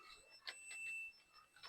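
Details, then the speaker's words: Multimeter continuity test on the red main ECU feed wire of a 2021 Nissan D23 EO6 diesel truck (blown 20A IPDM fuse, ECU offline, no crank): one thin steady high beep of about half a second shows the wire is shorted to ground. "And let's see if this wire is shorted to ground."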